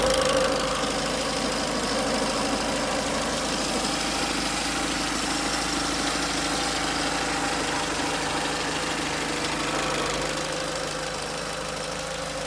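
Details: Peugeot 307 1.6 16V 110 hp: steady idle with a light, fairly regular knock of about three per second riding over it; source cannot be pinned down. Abnormal engine noise at idle.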